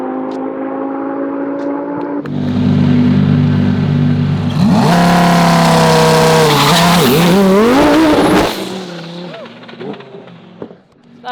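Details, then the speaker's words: Twin-turbo C8 Corvette with new setup on drag-strip launch: engine screams up, pitch wobbles and shudders at the shift into second, then power cuts abruptly; wheel hop broke the transmission. "Hey, wheel hop. Yeah, wheel hop bad, dude. Yeah, you click second and it went like that, and that's when it broke."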